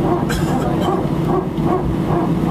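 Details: Air France A319, flight AF2487 Sofia to Paris, 15/01/2012, recorded from cabin seat 18F while taxiing for take-off: loud dog-like barking bursts, roughly two a second, over cabin hum; strange repetitive barking, cause unknown.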